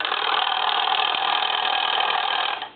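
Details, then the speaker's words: Paris desk-style telephone converted to touchtone, bells muted: a dry, rapid buzzing rattle for about 2.5 seconds as the ringer solenoid still works. A rear on/off switch was added to silence it. "still hear the mechanical noise from the solenoid but I'm going to reach back here and I'm going to turn it off"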